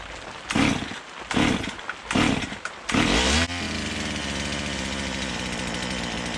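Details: Stihl MS170 with a blown original motor replaced by an Amazon motor, throttle blips after full-choke start: flat buzzy run, slow to pick up; owner says it sounds far more doggy than an OEM MS170; sluggish running.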